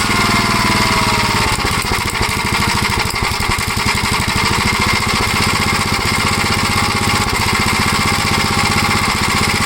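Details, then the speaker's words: 1956 Gravely L single-cylinder engine, before adjusting the valves, checking timing and removing the governor: after a carburetor adjustment it chugs unevenly at idle with occasional pops; it still runs rough and the cause is not yet found. "well I tried to adjust the carburetor again but idle's up okay then when you bring it down the idle you got that it's not too bad pops once in a while I can live with that"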